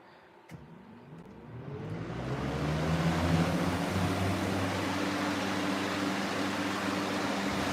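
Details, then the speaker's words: Revived 3733 fan, still on its original oil, starting on low speed: hum and rushing air climb smoothly and settle into a steady whir within about three seconds, startup sound less pronounced than on high; normal startup. "okay here is a startup on low not quite as pronounced guess I'll go straight to high"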